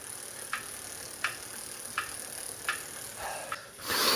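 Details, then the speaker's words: Saris H3 smart trainer, almost new, just spinning: sharp clicks about every 0.7 seconds over the high steady hiss, an internal knocking that appears once the trainer warms up and varies in pace. "then I got this knocking that you can probably hear that's internal I'm just spinning"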